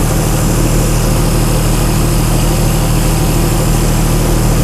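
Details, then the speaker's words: Chrysler 225 Slant 6 generator engine just converted to Holley Sniper EFI; first cold start, idling about 700 rpm, throttle 0%, IAC 100%, battery voltage dipping, alternator disconnected; low even burble without knocks or misses; normal cold idle. "that was a pretty good startup huh engine RPM 700 something throttle position at zero of course"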